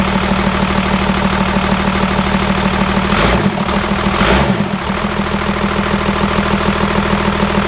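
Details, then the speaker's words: Old Dodge Cummins diesel just after a mechanical fuel pump swap: uneven, lumpy idle at about two beats a second with a brief stumble, seeming to run on only 2 to 3 cylinders; rough running, with air in the system suspected. "But what you might have noticed is how it was running real rough right off the bat. That's because I wasn't too sure. It seemed like it was only running on 2 to 3 cylinders."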